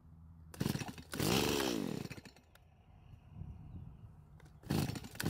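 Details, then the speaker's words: Stihl MS170 chainsaw after swapping the OEM carb for the double-flared aftermarket carb: a rough, raspy run sags and fades, then fires again, still not holding idle, though it runs longer each time. "it's really strange but as I run the saw more and more it seems to be running longer each and every time now this was not happening before"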